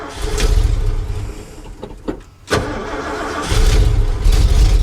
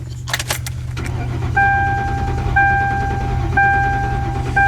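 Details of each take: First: Carbureted V8 truck, cold start around 30°F, no choke, long crank then uneven loping idle that stumbles and dies if throttle touched; blown power valve in carburetor, rebuild kit on hand. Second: V8 cranking with pedal floored on a cold morning (~30°F) to clear flood and build oil pressure before starting: steady low starter churn without firing, chime pinging about once a second; normal, then starts quickly.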